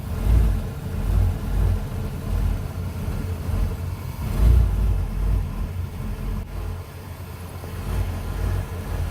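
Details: 1993 Ford E250 5.8L V8 after 20 to 40 minutes of running: the idle surges and sags every second or two, rough and hunting, then stalls; IAC valve and fuel filter already replaced, and an EGR delete plate made no change; cause unknown.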